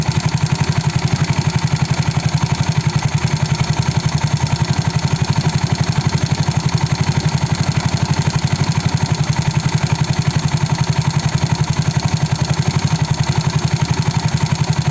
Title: Mio Sporty Piston slap noise